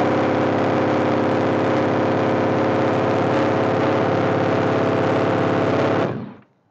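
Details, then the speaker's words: Honda ST1300 motorcycle after alternator replacement and new battery: steady, even idle with loud open exhaust bark for about six seconds, then clean shutdown. First start successful, runs fine. "There we have it. First start successful."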